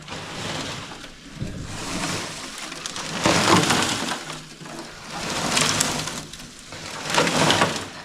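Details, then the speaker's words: 1988 Chevy Camaro RS that sat over a decade, fuel tank drained with sending unit out. Irregular gritty rattling swells as the nearly empty tank is rocked, loose flakes sliding inside; tank full of loose rust. "Well, I hope you can hear that, because this thing's filled with freaking rust."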